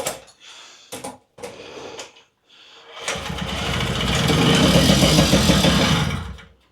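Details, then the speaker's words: Puch Maxi moped with original spark plug, spark present, choke on and carburetor tickled: a few weak coughs and pops, then a brief ragged burst of firing that dies away; hard starting, won't catch. "okay maybe not it would have been nice to just get on it and it go"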